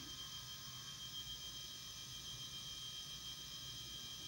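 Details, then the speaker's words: Dead Toshiba T4500C laptop with a P30 error, first power-up with hard drive hooked up: steady, even high-pitched whir with no clicks or grinding. Drive spins up normally while the screen shows only gray pixels. "Okay, I've hooked up the hard drive. I can hear the hard drive is doing something."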